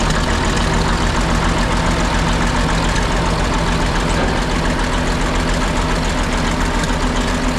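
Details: Ex-military 1959 International dozer, first start after months at a scrap yard with new batteries: starter sounded weak, but after a couple minutes smoke cleared and deep, even diesel idle with no misses or rattles; engine healthy.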